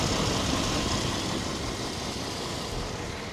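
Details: 1997 Chevy 1500 V8, 330,000 miles on the body, motor mileage unknown, idling while the owner listens for a possible lifter tick: even, steady idle with no ticking or knocking over the exhaust rumble; the motor sounds healthy.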